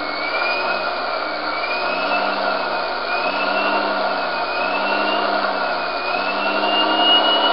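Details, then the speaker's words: Series-wound brushed DC motor on Kelly KDZ48400 controller, throttle opened, held and reopened: loud electric whir rising and dipping with throttle, smooth and steady, no grinding or brush chatter; normal running. "We'll open the throttle. Pretty loud. Hold down. Open the throttle up again."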